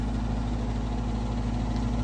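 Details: Garage gas unit heater (five-burner) running with burners lit: constant low buzzing hum, steady pitch; vibrating noise from the unit, source unconfirmed. Tech guesses louvers; adding primary air seemed to change the noise.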